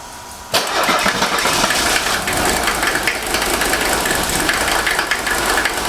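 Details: 1983 Mercedes 300TD OM617 diesel after injector rebuild and glow plug replacement: catches promptly after cranking, then settles into a steady diesel clatter at idle with no misses; rebuilt injector later found dry, running healthy.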